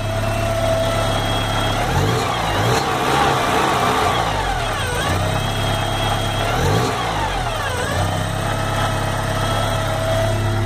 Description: Porsche 944 engine whine / hissing sound